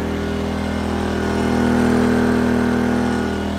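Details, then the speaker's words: Pulsar PG2000iS 2000 W inverter generator powering an air conditioner, battery charger and lights: a steady, deeper, labouring drone that holds speed without surging. It carries the heavy load with no overload indication. "now notice my lights got brighter now that's everything that basically a low-battery that's my air conditioner everything and we still don't have an overlap I know because he's working hard"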